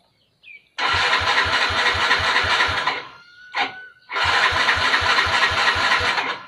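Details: Yamaha Fino fuel-injected scooter, long parked: two bursts of starter cranking with steady compression pulses but it never fires; battery reads a normal 12.7 V.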